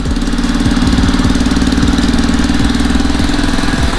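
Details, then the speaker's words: Cheap $40 Zuma 50F scooter, first start on premium fuel: a fast, sharp puffing tick rides on the small single's idle in step with each firing, an exhaust leak at the pipe. "look at that exhaust though definitely exhaust"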